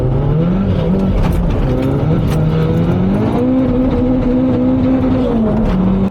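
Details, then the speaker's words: 620 bhp VW Caddy van with a low fuel tank, revving hard: the engine climbs steadily, then surges and drops off as if the throttle lifted; fuel sloshes to the back of the tank and starves the pump. "So, if you listen closely in this clip, what you'll hear is it sounds like Peter is letting off the accelerator. That's actually the fuel going to the back of the engine and depriving the fuel pump of fuel."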